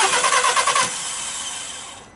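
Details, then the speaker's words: Volkswagen Polo that wouldn't start due to no 12 V feed to the ignition coils from an immobilizer/alarm block: short burst of cranking, then the engine catches and settles into a steady idle after the fix. "Давайте Вот и завелась"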